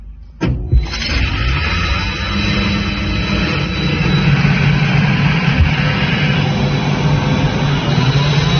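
Motor kicks in with a thump, then a steady deep drone with a constant hum building; even and unbroken, sounds healthy.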